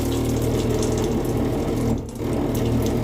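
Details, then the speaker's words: Standard faucet, cold water side: water leaking past the worn cartridge, which has some vertical play, makes the faucet vibrate with a steady low buzz and a watery hiss; fixed by replacing the cartridge. "See how it's leaking past? You can actually hear it."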